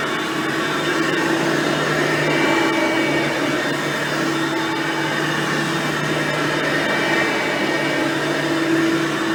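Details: Hoover Platinum Collection lightweight bagged upright and Oreck XL Platinum vacuums, both direct-air; even, fairly soft motor whir with steady fan hum, no rattles or pitch wobble; normal running.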